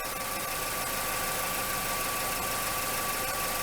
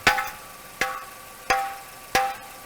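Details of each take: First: Idling engine with P0420 catalyst efficiency code; tailpipe partly blocked with a damp rag to check for leaks. Steady idle with even exhaust hiss, no puffing or ticking, no exhaust leaks found. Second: Catalytic converter tap test with soft hammer, exhaust checked leak-free: four taps each ringing with a tinny metallic buzz instead of a dull thud; rattling metallic sound suggests an abnormal converter, not confirmed.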